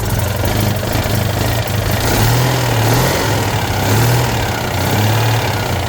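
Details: Citroën 2CV twin that wouldn't start after sitting because fuel drained back below the pump; after priming the fuel line and filling carburetor float bowls with a priming bulb: steady, even low putter at idle, no misses.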